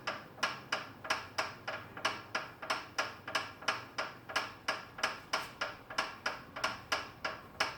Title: FitDesk v2.0 clicking sound